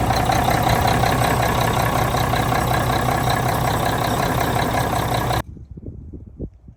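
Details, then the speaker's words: 1985 Mack R Model diesel truck steady idle with an even low beat, about four pulses a second, then shut off, after the problem starter was replaced with an updated Mack-store starter; runs healthy. "Okay, we got starter changed. Everything appears to be working properly."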